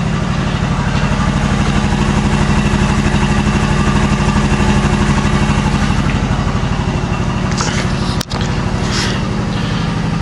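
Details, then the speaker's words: Older used Quincy QR-325 two-stage 80-gallon vertical compressor, newly wired with plumbing unfinished, pumping up: steady fast chuffing of about ninety-odd pulses a minute with no knocking; runs fast and quiet, normal. "That's the new Quincy QR, or the new old used Quincy QR-325 pumping up right now. I've got it wired obviously, and it's fast, and I'm still working on the plumbing."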